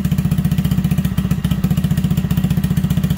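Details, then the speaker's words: Cold-started Honda Grom MSX125 / Monkey Z125 fast-idling at about 1900 rpm while warming up after a throttle position sensor reset and re-learn; small single fires fast and even with no misses, a healthy warm-up idle. "you may hear it just idling a little better smoother cleaner"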